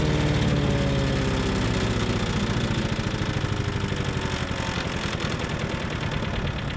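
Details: Tecumseh 5.5 hp single-cylinder on a yard-sale MTD Yard Machines chipper/shredder, after carb cleaning: steady pounding, lugging down near stall on a two-inch branch but holding on; healthy and pulling.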